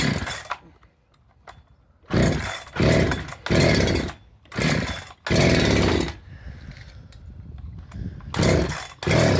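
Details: Husqvarna 365 SP chainsaw after rebuild with new piston, cylinder, muffler, carburetor, coil, plug and wire, good compression, good spark: catches and races in short bursts then dies, never idles; owner suspects timing.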